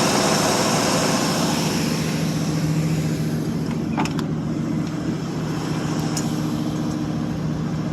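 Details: 1952 Ford Customline, 239 cu in flathead V8 with glass packs, 6-volt system on 12-volt jump pack, cold start after a month or two sitting: soft, even burble at steady low idle, about 40 psi oil pressure; normal healthy idle.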